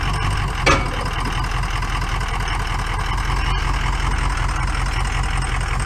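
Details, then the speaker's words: Ford 6.0 liter Powerstroke diesel pickup, rust-free California truck, barely running when first started: rough idle with an uneven, lumpy beat, obviously down a cylinder. Some smoke, suspected weak cylinder, cause unconfirmed. "does it run barely the squirrels cranking up oh yeah any guesses on what's the matter with [Laughter] this it's obviously down a cylinder"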